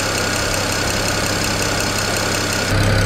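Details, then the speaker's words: 2008 BMW 335i N54 twin-turbo inline-six, warming up, likely in closed loop: steady, even idle with faint quick ticking, attributed to the high-pressure fuel pump during warm-up; no misfire or stumble. Normal idle. "thing nice and smooth and it should be in closed-loop right now"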